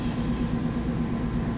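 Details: 1995 Mercedes R129 SL500 V8, 84,000 miles, first start after lower engine wiring harness and motor mount replacement: low, even hum at quiet idle, no misses, knocks or ticks; good oil pressure, no warning lights; normal idle.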